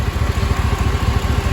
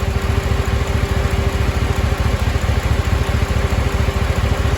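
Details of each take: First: LQ9 6.0 V8 after valve job, lifter replacement and head gasket, first startup at idle: steady, deep, even exhaust pulse with no lifter tick, only an exhaust manifold leak from broken and missing bolts; runs smoother than before. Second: LQ9 6.0 V8 first startup after head gasket, valve job and lifter replacement: steady idle with quick puffing tick from exhaust manifold leak, two broken and three missing bolts; earlier lifter tick gone.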